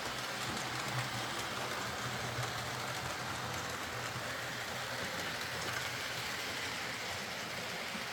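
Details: Hornby R.372 Class A4 "Seagull" model locomotive, tender drive, running after repair: soft steady whirring with light rail clatter, no surges or stutters. Stop-start running was likely from excess axle oil spoiling electrical pickup; the mystery noise was traced to the valve-gear parts. Runs fine and quiet.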